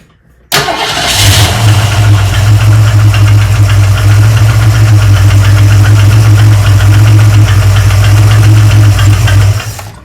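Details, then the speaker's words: 1971 Mercury Comet GT engine with accessory belts removed: starts and idles with a steady tick-clack about four times a second from the front of the engine, worse cold; noise unchanged, so belt-driven parts ruled out, fuel pump next. "Still makes the exact same noise. So, next step would be to pull the fuel pump out, start it, and see if it makes noise."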